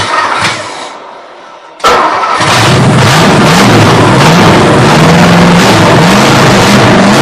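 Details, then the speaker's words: 272 Y-block V8 first start after Holley carburetor rebuild and new ignition, bowls filled from the top, no coolant: cranks, catches, idle surges unevenly straining to stay lit; fuel starvation, fuel pump needed. "Guys, uh, we're having fuel delivery issues. I ain't got no gas."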